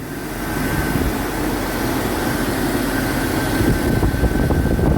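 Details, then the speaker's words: Jeep XJ at idle after AC compressor clutch repair (shim removed): smooth engine with faint steady compressor whine and fan rush, clutch engaged and turning; previously it disengaged once at operating temperature, line now cold. "Alright, it is turning, but it always turned in the very beginning, and then when it got up to operating temperature, then it would shut down."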